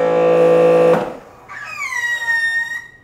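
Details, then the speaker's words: Grandfalls Pro wall-mounted pressure washer with a steady motor hum that cuts off on trigger release, followed by a thin wavering squeal lasting over a second; new noise, cause unknown, owner wonders if the hose is wound too much. "did you hear the squeaky sound it even makes a squeaky sound it didn't do that before now it's making that squeaky sound"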